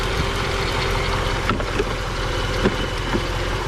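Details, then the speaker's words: Mercedes-Benz W220 S-class, about 2000, M113 5.0 V8 petrol, in a breaker's yard, engine oily but said normal for this motor: smooth, even idle with a steady low burble and no knocks or ticks. Sounds healthy. "тут встановлено двигун V8 послухаємо як звучить [музика] непогано"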